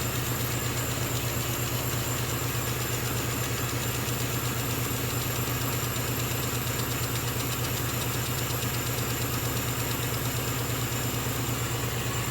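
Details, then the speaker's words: Small air compressor for a laser engraver, cycling on during engraving: steady even drone with a fast regular pulse of about three per second and a faint high whine; quieter than typical compressors; running normally. "a wonderful little air compressor will keep kicking in that their first drop thankfully is not as noisy as average 50 meter air compressor can tend to come from a dental surgery"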